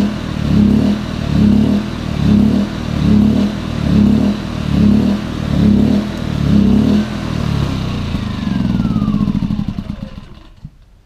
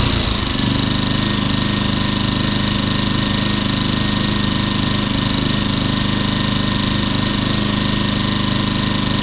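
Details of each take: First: Champion 2000W 73536i generator with about 16-24 hours of use surging up and down about once a second at idle, also at higher rpm; owner suspects a plugged idle jet, fixed by cleaning the carburetor and adding a fuel filter. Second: Champion 2000 W 73536i generator, about 16-24 hours of use, after carburetor and idle jet cleaning and adding a fuel filter; smooth, even idle with no surging, with the economy switch toggled.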